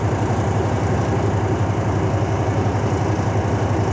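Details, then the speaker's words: Truck at idle during CDL Class A pre-trip air brake check, air rebuilding toward governor cut-out: even diesel idle, deep steady rumble, regular firing, nothing rough; normal air compressor build at idle. "Is that it? We still got to build the air."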